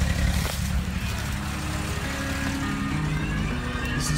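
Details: 1999 Ford Windstar blown engine on its last run before replacement, with a dropped piston, gas in the oil and an earlier blown head gasket: rough, low running with an uneven, heavy knock.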